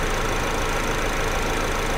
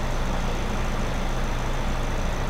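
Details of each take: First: 2009 Chevy HHR 2.2L flex-fuel, start after extremely long crank: uneven, lumpy rough idle with loose ticking; engine flooded and running rich (P0172, P0300, fuel trims about -24 to -27%) because computer reads incorrect 73% alcohol content. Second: 2009 Chevy HHR 2.2L Ecotec flex-fuel, after fixing incorrect alcohol-content reading (P0172, P0300, long crank): steady, even low idle rumble, no misses, knocks or hunting; slightly rich, oil change suggested; normal idle.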